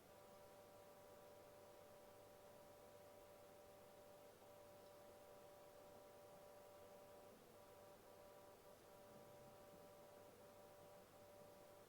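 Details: Seagate ST8000DM002 8TB desktop hard drive, an RMA replacement, idling with a loud steady mid-pitched hum and buzz of stacked tones; the first unit did the same.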